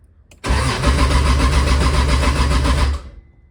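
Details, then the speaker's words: Turbo Toyota 2JZ first start: starter cranks engine about three and a half beats a second for two seconds without firing; crank no start with no fuel pressure. "right we have no fuel pressure no fuel pressure no yeah see if it goes up"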